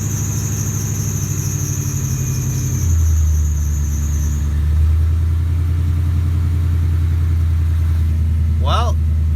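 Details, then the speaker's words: 99-04 Mustang 2V just converted to E85, before dyno tuning: a high steady screech rides over a fresh cold-start idle, then cuts out while the engine keeps running; a brief belt squeal never heard before, cause unknown. "some horrible belt squeak honestly I like never heard that before"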